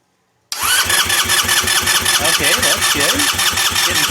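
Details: 2007 150cc GY6 scooter, long stored, fresh fuel and oil, carburetor not yet cleaned, priming fuel: steady starter cranking with even compression pulses about every fifth of a second but never catches; cranks but won't start.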